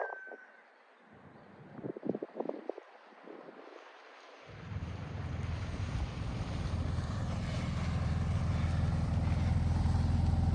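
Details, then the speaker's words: All-original 1959 VW Beetle driving in first gear: low engine drone with regular rattling chatter about three per second, sounds better in second gear; transmission chatter in first gear. "it really does make a weird noise in first gear huh yeah it sounds better right when you get the second yeah first gear is messed up"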